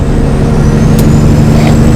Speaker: let's let's sound the Jake brake it's not as loud with these mufflers on there listen to this oh boy